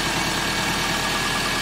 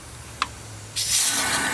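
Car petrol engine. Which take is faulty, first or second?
second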